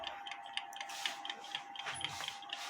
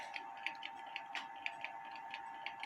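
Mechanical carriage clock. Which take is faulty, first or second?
second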